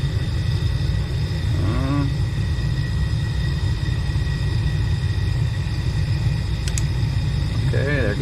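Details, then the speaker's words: Furnace after replacing the seized blower motor: steady, even low rumble with no rattle, squeal or surging, inducer motor and flame working; normal blower operation. "we didn't get that last time we did no movement imagine that motor seems to be working good"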